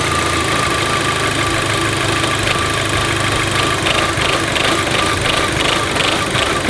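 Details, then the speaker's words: VW Golf GTI dropping back to idle after a rev: idle surges and hunts with a loose stumbling beat around three a second, engine rocking and near stalling, like a misfire; cause unconfirmed before scanning. "It wants to die. It's like rocking and then making that noise >> like it's misfiring."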